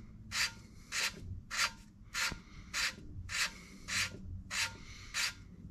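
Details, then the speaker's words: 454 big block head, valve hand-lapped on compound by rotating the stem: gritty sanding rasp in even strokes, about 100 a minute; still has some pits; valve lapping sound. "And basically all I'm listening for here is for that the sanding sound to Yeah, it's still got some pits to it."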